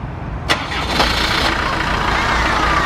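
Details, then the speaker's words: Camper van that previously only clicked, after reinstalling a relay and reconnecting the battery: a brief crank, then the engine catches and settles into a steady idle; normal engine start. "Et voilà, nous avons démarré."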